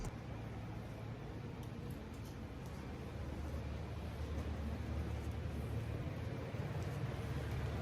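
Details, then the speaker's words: Inmotion V13 electric unicycle hub motor after full teardown, reassembly and adjusting screws in the holes under the body with a 2.5 mm hex key: smooth, even low hum with no clicks, rubbing or grinding; quiet, healthy motor. "I'm getting no noise from the V13. It sounds buttery smooth and quiet."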